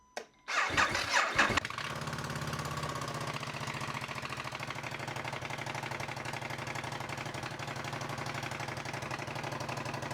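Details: Ducati Monster 1200 with a new battery, after cleaning the starter switch housing and starter relay contacts, started in neutral with the clutch in: brief cranking, then it catches cleanly into a steady, even idle.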